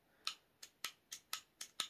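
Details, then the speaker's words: Smith CSX pistol single-action trigger: seven sharp light clicks about three per second, a false detent click before true reset, believed from the trigger bar spring setup, same at any speed; false trigger reset click. "i think that's the way the spring is set up for the trigger bar but it gives you a false reset click you can hear no matter how fast i go it makes the same noise"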